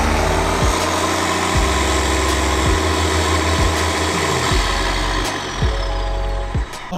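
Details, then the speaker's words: Diesel truck engine runs away, holding high revs and surging unevenly with no throttle input while stationary in neutral (manual transmission). Earlier runaways revved to redline, including while towing. Cause is not yet confirmed. "So we still have the runaway problem. You can kind of just hear it revving even though I'm not even moving, and you know that this is not my input because I have a manual transmission."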